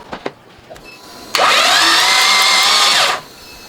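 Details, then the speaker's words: Nissan Cefiro A31 RB25DET cranked with fuel injection disabled and spark plugs out, blowing out leftover carbon after chamber cleaning; steady high-pitched starter whir, no firing; normal starter cranking. "Coba kita starter. Tapi ini sistem sistem EV-nya kita matiin semua jadi tidak ada bensin mengalir ya."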